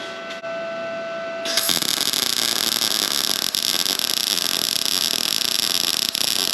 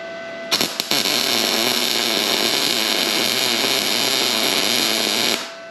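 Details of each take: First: Arccaptain MIG 250 tacking at about 18 volts: a steady hissing arc crackle without a crisp frying bite. The voltage is too low, so the weld pulls up and doesn't burn in; 19–20 V ran better. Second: Arccaptain MIG 250 welding at about 20 volts: steady, even bacon-like sizzle for about five seconds, laying a flat, evenly pulled bead; normal, well-set MIG arc.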